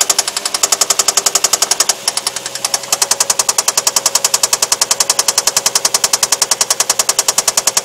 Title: Стук двигателя vq35de infiniti v6